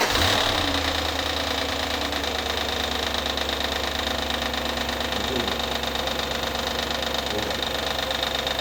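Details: Audi A8 D2 4.2 ABZ V8 idling with drive belt removed: irregular light tapping over a steady idle from the front timing cover area, later traced to a loose front cover.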